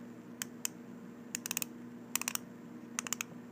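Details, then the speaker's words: 3D-printed ABS NASA ratchet wrench with a 3/8-inch socket, one-way ratcheting: quick crisp clicks in bursts of two to four as the handle swings back in a quiet room; pawl gearing clicks normally. "You can hear it clicking the gearing inside."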